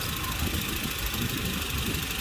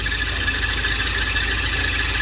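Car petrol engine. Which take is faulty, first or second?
second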